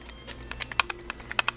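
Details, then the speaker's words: Lightdow action camera loose inside its waterproof case: sharp, irregular plastic clicks; on a motorcycle handlebar it made a gurgling sound from resonant vibration, gone on the lower-vibration helmet mount; curable by securing the camera. "this is moving around and shaking now it did two things it made the sound gurgle wiggler and then it was from the resonant vibration on a handlebar at a motorcycle"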